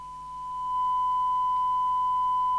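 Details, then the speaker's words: 1981 Grandstand P2004 27/81 MHz 4-channel 2 W CB handheld, heavily corroded, after a full recap and retune, on channel D with a big signal and the volume up: pure, steady tone with no buzz; receive audio now a clean sine wave instead of a square. "and you see we've now got a sine wave instead of a dreadful Square actually sounds like a radio now"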